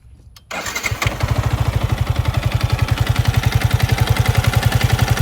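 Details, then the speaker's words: Yamaha MT15 single-cylinder bike after seizing from overheating with no coolant: starts and idles with a steady knock from mid-engine, not tappet or connecting rod, diagnosed as piston slap. "Slab হচ্ছে যে piston যে সিলিন্ডারের মধ্যে থাকে সেখানে একটা ঘর্ষণ হয়। একটা জোরে ঘর্ষণ। হঠাৎ করে বন্ধ হয়ে যাওয়ার সময় যে একটা ঘর্ষণটা হয় ওই ঘর্ষণের কারণে এই বাইকের একটা এক্সট্রা নয়েজ তৈরি হয়।"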